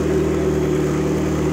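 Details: McLaren supercar idling after a DIY repair with used and cheap Nissan Sentra parts: loud, steady, even idle with a smooth low rumble and no misses or knocks; check engine light now cleared, only airbag light remains; engine running cleanly.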